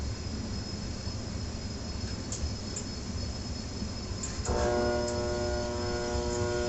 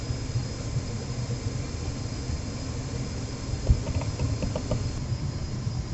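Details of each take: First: Trane XR80 gas furnace: a steady electrical hum holds while the blower fan tries to start but never spins up; everything else runs until the unit shuts down. Blower motor is failing to start. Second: Trane XR80 gas furnace after the blower motor and capacitor were replaced: an even, low hum and airy rush that hold steady with no rubbing or squeal; the blower is running smoothly.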